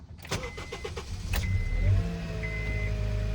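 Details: 2008 Honda Accord after draining accidental E85 fill and reconnecting fuel line, pump primed: about two seconds of brisk cranking at four turns a second, then clean catch into steady idle; normal start.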